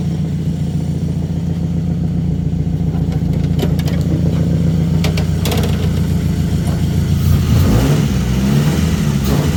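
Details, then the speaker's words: Plymouth Neon sat at least 8 years, after missing fuses found and makeshift fuel pump primed: catches, settles to even idle, revs cleanly on blips; normal running. "I happen to notice there were no fuses in the fuse panel so let's hook up our Dandy Dandy mush fake fuel pump primes up see what happens it works and it's running"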